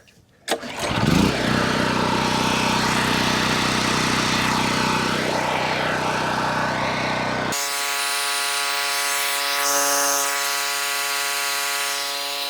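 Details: Cheap Chinese mid-size gas generator, first start, partly warm with a little choke, dry-run load of about 1000 W: starts quickly and holds a steady even drone with a smooth electric whine as the load comes on; normal running.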